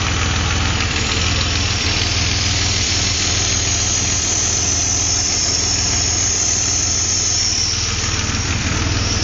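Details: Engine at idle; a steady, airy hiss rides over an even idle and never changes, something leaking air or vacuum, source not found.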